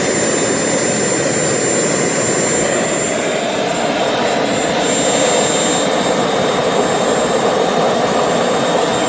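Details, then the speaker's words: RT130 model jet turbine after rebuild at full power: loud steady jet roar with a thin high squeal on top; compressor impeller rubs the front housing, which owner thinks prevents reaching the set maximum of 120,000 rpm. "there are nuances in the front, they are screaming when it touches a little and most likely I think that it hurts this does not allow the turbine to develop maximum speed of 120,000 as it was set"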